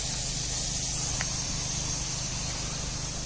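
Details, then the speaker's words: Sprinkler system winterization blow-out using a mid-size compressor kept under 100 psi. A steady dry hiss of air comes through the last head in the zone with no spitting water, showing the zone is blown empty. "you see if you hear this noise your system is empty that zone is empty"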